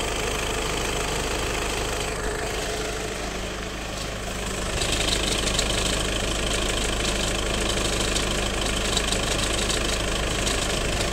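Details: High-mileage car (605,000 km in 9 years) at idle with a constant fast metallic rattle from the rear of the engine, present at first start whether cold or warm; the sound changes with the clutch. Cause unconfirmed.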